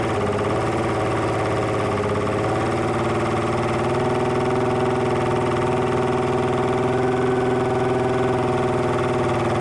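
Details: Evinrude E-TEC 300 HP outboard: steady cranking drone with a pulse about four times a second and starter hum, never catches; won't start, cause unknown.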